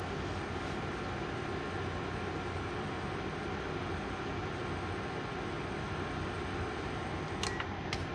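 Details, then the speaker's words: Amazon induction cooktop heating a pot of water at power 10 in a large shop: steady loud fan-like rush and hum with no knocks or rattles; excessively noisy, worse as power rises, intolerable in a small van. "And the more you turn it up, the worse it gets. So that's a 10. It's not as bad in this big shop, but when you're in a tiny little van that's literally like 60 square ft."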